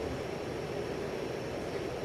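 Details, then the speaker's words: 52-inch Hunter 1886 limited edition ceiling fan with rotating motor housing, on high at least 210 RPM: soft rush of air with faint steady hum, no clicks or rubbing; quiet, smooth bearings, very little wobble. "This is high. Going at least 210 RPM, again, very little wobble. It's moving a lot of air."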